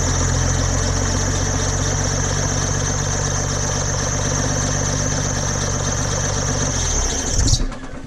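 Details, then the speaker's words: 1990 first-gen Dodge Cummins diesel at idle, before fix; loud steady high-pitched belt squeal with fast chirping until shutoff; remedied with dielectric grease on the belt. "So you can tell the truck really squeaks, and it's horrible. I hate it."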